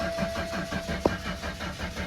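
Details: 2004 BMW with M54 engine, check engine light on: steady, even starter cranking with no sign of the engine catching; cranks but will not start.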